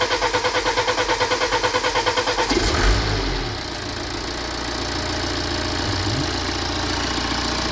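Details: BMW E91 320d first start after high-pressure pump failure, with the pump and injectors replaced, fuel system flushed and de-aired, and adaptations reset. Steady cranking, then it fires cleanly into an even, smooth diesel idle.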